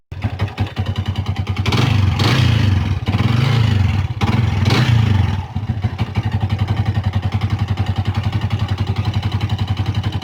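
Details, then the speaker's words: Yamaha Vixion old-model motorcycle engine idling, revving, idling: harsh rapid tapping clatter from the cylinder block top end, attributed to worn piston and rings from infrequent oil changes; conrod was recently replaced. "bisa dilihat ya bagian bloknya ini bunyi kasar karena kemarin tuh ada reaksi"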